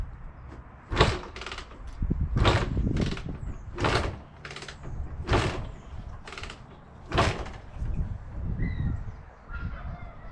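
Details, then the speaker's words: Barn-find Honda MTX200 two-stroke, oil pump disconnected, choke on, spark and fuel present: about eight kick strokes, each a brief thud and spin that dies away with no firing; won't start, cause unknown. "it's not starting yet need to have a look"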